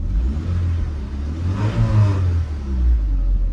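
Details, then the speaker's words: Mk1 Audi TT, project car saved from scrap: petrol engine revs up cleanly and settles back, smooth even note with no knocks or rattles; normal revving, runs as good as gold. "But other than that, it is as good as gold. It sounds nice."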